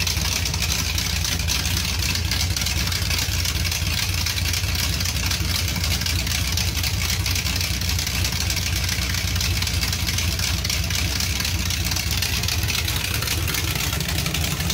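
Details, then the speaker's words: Dodge Charger 383 V8 with a Whiplash cam and small-valve heads, running on open headers with a little throttle. Loud, choppy, lumpy idle with crisp exhaust pops over a deep rumble; the cam is audible over an exhaust leak. Normal idle. "that sounds a lot better you can actually hear the cam over the exhaust leak"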